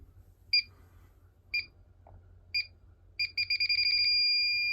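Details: Combustible gas leak detector around the gas main and fittings between a furnace and a tankless water heater: chirps about once a second, quickening to rapid beeps and a steady tone. It found a leak at a union fitting.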